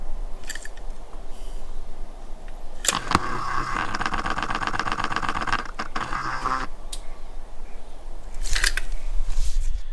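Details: Aprilia Caponord throttle body motor cycling at key on after flushing throttle body and motor with cleaner, which was advised to fix a poor idle: quiet background, then a few seconds of fast buzzy electric motor chatter; unclear if normal.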